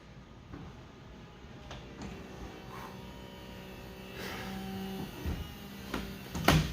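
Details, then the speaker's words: 2006 Lincoln Mark LT convertible top operating with trim off after clearing a jam: low steady hydraulic pump hum, owner notes air-mixed-with-fluid sound, light clicks and a firm clunk at end of travel, no oil leaks seen; normal top operation. "you can actually hear it sounded like it kind of sounds like air mixed in with hydraulic fluid that funk that operates the top i don't see any oil leaks but okay let's uh probably sounds fine to me"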